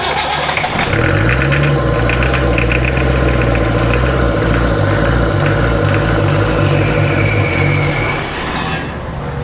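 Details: Long-unused 2.25 Land Rover diesel, dead cold, installed in a Santana chassis, cranked after glow plugs: hard cranking about four beats a second, firing unevenly but never running on its own; injectors one and four wet, fuel filter suspected, unconfirmed.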